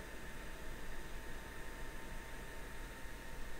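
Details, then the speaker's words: Raspberry Pi 4 Model B starter kit case fan running full speed; constant airy whoosh with faint hum, vibration amplified when sitting on desk or box acting as a sound box. "ah ça fait du bruit je pas si vous entendez forcément sur le bureau quand c'est posé ça fait vibr ça fait vibrer un peu ah ouais ça souffle à fond là"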